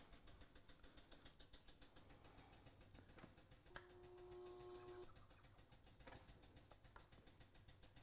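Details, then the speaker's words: Wielander & Schill InvertaSpot GT automatic spot welder on a four-panel weld, automatically on program 5: soft ticking, then a clean steady buzz of about a second that stops; normal, bigger weld. "so same result. Bigger weld, which it should be as the thicker panels that you get into."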